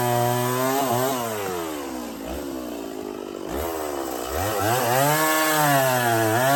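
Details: Stihl 024 chainsaw after a cobbled aftermarket air filter and carb tuning, pushed harder into firewood: bogs as it bites then climbs back to a clean high scream, no stumble or misfire, healthy under load; owner thinks fuel line is too short into tank.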